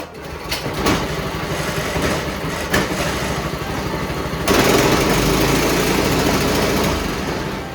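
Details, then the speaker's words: Pull-start engine, oil checked and fresh gas added: a few pull-cord rasps, then it catches on the second pull and settles into a steady, even putter without stumbling; it starts easily and runs normally. "To be honest with you, that's as good as it gets really. Honestly, I put gas in it, pulled it twice, and it runs great."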